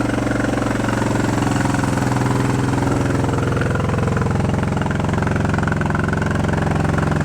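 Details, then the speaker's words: Honda CB350 twin running on both cylinders after fixing no-spark side, chokes off: fast steady drone well above normal idle, screaming; carb idle adjustment screws found run in way too far and backed out; racing high idle. "Of course, I missed the money shot, but we're running on both, and it was screaming, so I didn't want to go turn the camera on."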